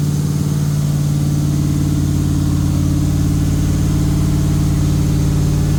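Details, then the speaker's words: Freshly rebuilt LS V8 in a Jeep, with a new Comp cam and Holley fuel injection, not yet tuned for the cam. On first fire it holds a deep, even burble at about 2000 rpm to seat the rings, with no knocks. Oil pressure good; idle to be lowered after tuning. "She's alive. Running the RPMs up. Trying to keep it about two grand to help seat the rings right now."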